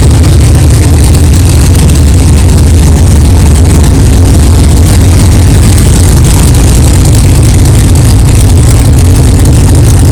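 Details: 1964 Chevelle 383 stroker V8 at first fire-up after an 8-month build, not yet warmed up, 11° timing, 63 lb oil pressure: loud, deep, steady burble, no clatter, ticking or banging, even idle; good oil pressure, healthy normal idle.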